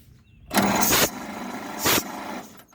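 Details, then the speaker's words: 1927 Pirsch fire truck, first start attempt in 29 years, 6 V system cranked on 12 V battery, cylinders soaked in oil, plugs out: two bursts of hissing chuffing cranking, air puffing from an open cylinder. Compression present. "okay that one seems to have compression that one's at least making noise"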